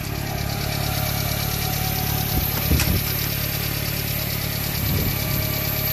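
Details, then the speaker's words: Subaru Sambar Hicab KS4/KS3 kei truck idling slightly unevenly with a faint steady hiss: vacuum leak from swapped vacuum lines, fixed by reversing them. "I can hear that vacuum leak so to fix that problem just reverse these lines here"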